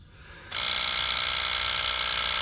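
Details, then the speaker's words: 2006 Toyota Highlander Hybrid, brake pedal pressed: ABS pump whir kicks in and runs continuously as a steady high buzz instead of brief cycles; internal leak in the ABS actuator unit, which needs replacing. "And here you can hear these crazy noises coming from there when I step on the brake. Do you hear that? How it's trying to create the pressure in the system?"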